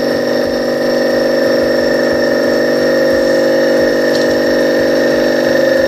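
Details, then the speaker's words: Copeland DKJ-75 refrigeration compressor test after repair (cylinders sleeved, valve plate and valves, connecting rods, piston rings, crankshaft ground), no-load current 0.8 A: under load a steady even hum with smooth pumping beat, no knocks or rattles; running normally. "Давай под нагрузкой. Ну что, работает, смотри, отлично."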